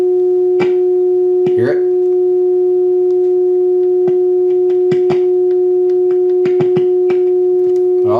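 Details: Vintage Sonny Jr. hand-built push-pull 6L6 tube guitar amp with four speakers, volume dropping and distorting; volume up while the input jack is rocked. Steady test tone broken by sharp crackles and pops from a worn, loose input jack.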